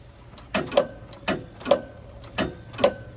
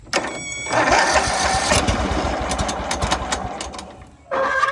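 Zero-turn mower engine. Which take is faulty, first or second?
first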